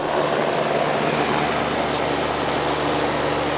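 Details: Heat pump AC unit not cooling, outdoor unit: only a steady fan whoosh and even hum, no deeper compressor drone; the compressor isn't starting (a bad capacitor suspected).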